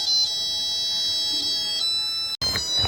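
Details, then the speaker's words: Home flour mill (gharghanti) switched on with the jowar/bajra setting selected before grinding jowar: a short electronic tune of clear high tones at switch-on; this is the normal startup melody. "आणि button on केल्या केल्या असा आवाज"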